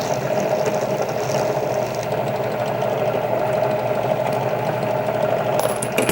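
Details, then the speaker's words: Drill press deburring the outside of rifle brass: steady mid-pitched whirring hum with faint constant tone, no catching or chatter; normal running. "We're going to simply turn this on, and just run these up to you. Hear that little squeal? And that's all you need to take that outside deburring off."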